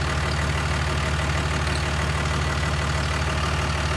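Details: 6.4 Fummins 24V (EP12) diesel with 5R110W transmission, after transmission work cured stalling in Drive and Reverse: steady, even low idle with a smooth regular beat, no stumble or hunting; healthy.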